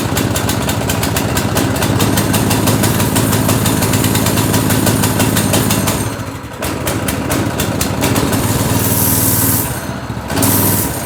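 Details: Go-kart with replacement single-cylinder engine after the original blew up, first start: quick even popping about three beats a second, dipping briefly then picking back up; fresh engine runs cleanly.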